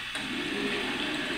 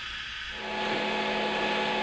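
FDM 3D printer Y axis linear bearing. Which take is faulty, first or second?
first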